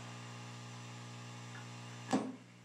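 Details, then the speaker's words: Homebrew all-octal guitar amp (two 6SJ7, two 6V6, 80 rectifier) with high-gain pull switch engaged: loud steady low hum at constant pitch, then a switch click and it drops to near silence in low gain. "It's on now. You can hear it humming full blast."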